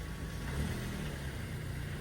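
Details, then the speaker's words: Mazda with automatic transmission acting up: in reverse, fully off the brake with throttle applied, it should roll back but the engine swells and bogs, low and laboured, with no drive taking up; reverse not engaging, neutral also still drives. "Let off the brake and then it started bogging, see? This is fully off the brake."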